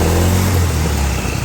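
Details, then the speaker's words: Suzuki Lets scooter after repair, clutch shoes and bearing greased under the side cover: smooth even exhaust drone rising and settling with throttle, no knocks or rattles; engine noise fixed. "पूरा कुछ problem नहीं सावन पूरा ठीक हो गया तो अ ये देखिए पूरा सही है कुछ दिक्कत नहीं"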